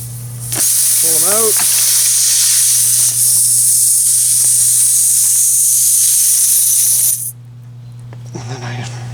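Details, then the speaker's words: Tire on an axle punctured: loud steady high-pitched hiss for about six seconds then cutting off; tire air leak. "so air leak and we need to fix that oh I can hear it"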